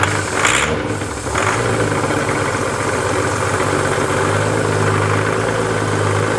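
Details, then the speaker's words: 2016 diesel Range Rover that died while driving and would not restart: with a light shot of starting fluid it catches and holds a steady idle, so the fault is not mechanical. The cause is a catastrophic CP4 high-pressure fuel pump failure with metal shavings through the fuel system. "let's just see if it's uh if it's a fuel issue or if it's like a timing mechanical issue"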